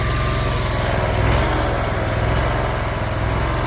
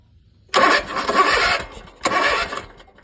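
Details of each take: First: Zero-turn mower after a new air filter, rebuilt carburetor and new spark plugs (the old ones were fouled with almost no gap). It catches and runs smooth and even for about five seconds, then shuts down cleanly; running normally. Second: Zero-turn mower with 12 V at the battery, spark present and clogged air filter; fuel in the intake still wouldn't fire, and the carburetor bowl gaskets are failing. Two roughly one-second cranking bursts never catch: crank, no start.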